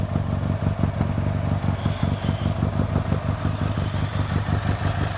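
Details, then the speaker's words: Restored 1964 Triumph TR6R, 650 cc twin with a single carburetor and 16.6 miles since restoration, running after years unstarted with fresh fuel: an even, loping twin beat at steady idle with light mechanical clatter and no misses, a normal idle. "so now you can hear it run hasn't ran in a number of years and it sounds very good"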